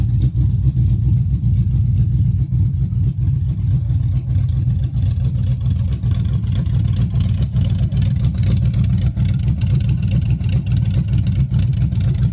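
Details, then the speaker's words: Chevy Silverado 5.3 V8 rebuilt after a bent rod: 0.020 over pistons, Summit stage 1 cam, beehive springs. Revving on open headers: a loud, choppy V8 with mild cam lope rising and falling with throttle, no knocking. Running strong. "I'm gonna try to get the specs on this cam. It sounds good."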